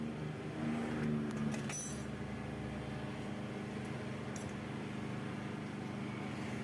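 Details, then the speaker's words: Yamaha New Vixion Lightning (NVL) idling with valve cover removed: steady metallic clatter about three times a second; intake rocker arm bearing appears to have failed and won't turn, letting valve clearance loosen by itself. "Ya setelah dicek di bagian pelatuk klep atau Rocker arm-nya di bagian in yang bermasalah Sepertinya lahernya itu tidak berputar ya teman-teman kelarnya rontok jadi dia tidak berputar sehingga setelan klep bisa kendur sendiri"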